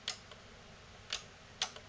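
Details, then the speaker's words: NAD C370 amplifier after resoldering joints and replacing capacitors: three crisp speaker output relay clicks about half a second to a second apart over quiet room hiss; relays now switch but the speaker light stays off; normal relay switching. "turn it on green light ah i hear relay's clicking when i do that now and that relay clicks too but we don't have a speaker a light"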